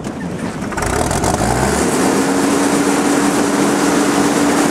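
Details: 2005 Gehl CTL80 two-speed high-flow skid steer diesel: brief crank, then it catches and settles into a steady, even idle with no knocks; a brief puff of smoke at startup clears immediately, described as normal. Healthy cold start.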